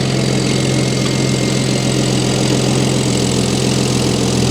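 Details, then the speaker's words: Single-turbo BMW E60 N54 after refitting F80 M3 coils, plugs gapped .022 and MHD reflash, idling after start: steady, even low hum with no stumbles or misses; running smooth like a factory car. "Yep, idling smooth. So I'm curious how this car gonna be once I drive it. Let's see, look on the engine bay. Yep, running smooth."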